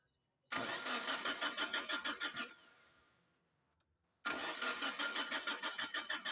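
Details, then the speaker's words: Car with electrical systems okay: starter churns at about three even beats a second twice without firing; cranks but won't start, no fuel pressure due to bad fuel pump and fuel filter. "all electrical systems are okay but engine cranks and won't start there is no fuel pressure in fuel line because of bad fuel pump and fuel filter"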